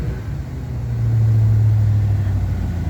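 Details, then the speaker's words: 1987 Chevy Camaro Z28 TPI revived after sitting with water in one cylinder: revs smoothly and settles without misses or knocks. Oil pressure is good, but it leaks until hot, is likely low on coolant, and smells of burning wiring. "well pressure's good a great sound of motors but uh just just something else to work on it"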